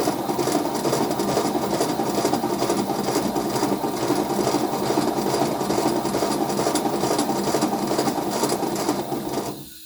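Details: Restored Simplex engine run on 30 psi compressed air, unlubricated: quick raspy chuffing about two beats a second, steady until air shut off; runs freely but some leaks remain.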